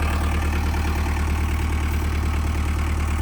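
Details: 1998 JCB 208s (1CX) diesel backhoe loader, after rebuilding its clogged injector pump: even, steady idle clatter at about three beats a second with no misses or surging; idles smoothly and healthily.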